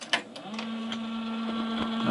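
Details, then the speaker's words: Akai CS-703D cassette deck after record-switch cleaning: starts with a click, then a steady low hum and light whirring that grows louder; transport noisier than it should be, owner suspects the belts need attention. "The switch is always a problem. But now, are working, but it is making a little noise."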